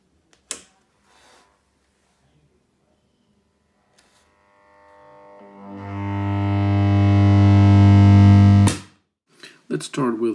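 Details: 1963 Fender Princeton Brownface 6G2 tube amp on first switch-on, fed through a badly deteriorated 220-to-110 V step-down transformer with brittle insulation: a loud, steady low hum swells over seconds and holds with a buzzy edge; horrific mains hum.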